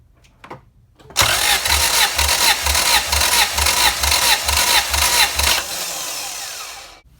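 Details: Honda CRX with B17 engine that jumped timing, possibly bent valves, during compression test on cylinder four, throttle not held open: starter cranks in even pulses, about two a second, for four seconds without firing; normal cranking.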